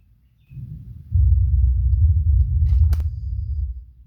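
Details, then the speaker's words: Logitech Z5500 subwoofer after capacitor replacement for the pod not powering on; volume turned up, steady deep rumble with no crackle or dropout; sub working normally. "okay what I've done is I've just turned up the volume so that you can hear the sub do its White"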